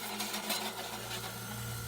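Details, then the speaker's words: New Esmaltec 350-litre chest freezer running: steady low buzz with a faint high whine as the refrigerant tubing touches the cabinet bottom and top; the fix is pulling the tubing free of contact. "essa duração ficar encostado está fazendo barulho essa população está encostando no fundo do frio apenas essas lulas encostando aqui também nesse campo aqui e aqui também foi constado em cima"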